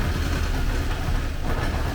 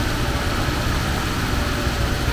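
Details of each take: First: 1979 Porsche 924 fuel-injected engine, first run after sitting, fuel just added: uneven lumpy idle that stumbles and surges, nothing bad heard inside; rough running from loose air-flow meter hoses letting in unmetered air. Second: 1979 Porsche 924 engine idling, left running to warm up: steady smooth rumble, no knocks or ticks; won't accelerate yet, owner suspects timing belt.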